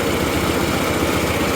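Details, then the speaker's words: 1983 Mazda B2000 small carbureted petrol engine after a tune-up: NGK plugs, wires, cap and rotor, carburetor adjusted, exhaust leak repaired. It idles smoothly and much quieter, with a steady even low pulse. "adjusted the carburetor semi tips that exhaustly so it's a lot more quiet and it's smooth"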